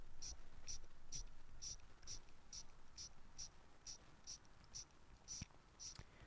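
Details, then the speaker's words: Fake Rolex ("Folex") with fake gold bezel and bracelet, crown unscrewed and being hand-wound; light, tinny clicks about twice a second that sound cheap. Rough winding noise, no clear fault identified. "listen to this thing winding it just sounds so cheap I hope my microphone is picking that up"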